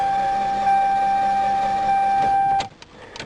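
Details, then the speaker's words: Toyota car that broke down on the road: the starter spins with a smooth, high whir, turning over far too fast with no compression strokes and no firing; a broken timing belt/cam is suspected, possibly after running out of oil; unconfirmed. "because if you listen to it you can hear it doesn't doesn't turn over right turns over way too fast"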